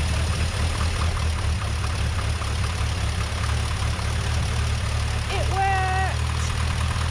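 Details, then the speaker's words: Rover P6 2000 with SU carburettor refitted after a service, fuel pump manually primed, air filter and heat shield still off: engine catches and settles into a steady, even low idle with no misfire or knock; normal start and idle. "worked [Music] well that was good news when it the car started well no fuel"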